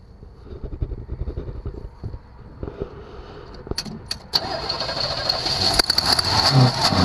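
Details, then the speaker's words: 1974 Chevrolet Nova with new electronic-ignition distributor and recently replaced fuel filter and kinked line: starter churns steadily, about three to four turns a second, but never catches; crank-no-start from fuel starvation, suspected obstruction between tank and carburetor. "all right so it appears we have a fuel issue we definitely have a fuel issue"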